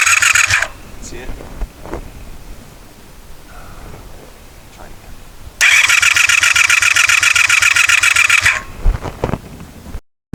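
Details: 1984 Honda VF500F Interceptor after carburetor rebuild, fresh ethanol-free fuel, fuel pouring from carbs: two bursts of fast whirring starter cranking, never fires; crank no-start, spark plug wires possibly on wrong and a screw on a carb float bolt possibly loose.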